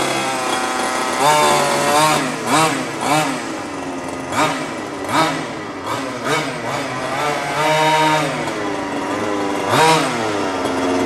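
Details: New HPI Baja 5T small two-stroke, first slow drive and trim setting after about 30 seconds idle warm-up, break-in: revs up and drops back in short bursts, picking up cleanly each time; idle slightly high, left for first tank or two; normal running.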